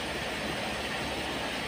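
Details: Mercedes ML 350 CDI Airmatic air suspension compressor running with the engine started after its 40 A fuse was replaced: constant even hiss and hum, no rattles or surges, as the sagging car rises; the compressor works normally.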